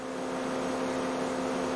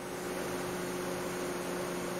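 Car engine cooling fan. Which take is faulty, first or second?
first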